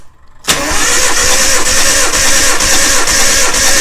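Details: Nissan Hardbody engine cranking for a compression test before a turbo install, with spark plugs out, distributor disconnected, in neutral with clutch in. Steady, even cranking at about 3.5 pulses per second; about 150 psi per cylinder. Finding: normal cranking.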